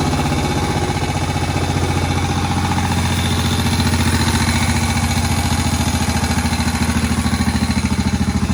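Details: Old Moto Guzzi single shed find with tick-over just reduced after its first start in about 40 years: slow, deep thump about three beats a second, steady and unhurried. Healthy normal low idle.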